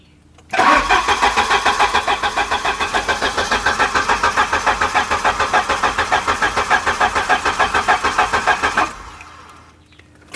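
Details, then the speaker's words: Volvo 740, sitting around 20 years, cranking with coil disconnected at an even quick chug of three to four beats a second with no dragging; healthy cranking. "Well, that's a good sign. That sounds That sounds really healthy."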